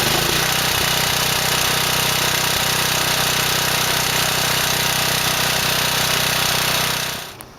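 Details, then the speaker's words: Generator small engine with a Nikki carburetor after a makeshift carb cleaning: it now runs off choke, but the further the choke opens the more it pops, sputters and misfires; harsh, uneven chugging that then dies, still with issues. "it's just that the more you turn the choke off the more pops and sputters and misfires and everything and it sounds like it still has issues"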